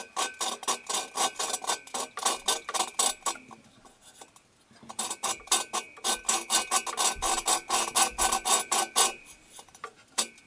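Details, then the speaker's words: 1974 VW Super Beetle cylinder head, valve lapped by hand with grinding compound: even back-and-forth rasping strokes, about two a second, now smooth with no gritty crunch left; the valve has seated. "to me kind of feels smooth don't really hear as much grit anymore"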